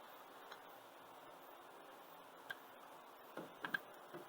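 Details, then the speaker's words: 1983 Toyota Land Cruiser FJ60 with 2F inline-six, engine hot: soft irregular drips of coolant leaking from a failing water pump, which is being replaced. "the engine is hot and it sounds like the water pump is going out changing a water pump on an old Land Cruiser or any other old inline six is very straightforward and easy there it is coolant"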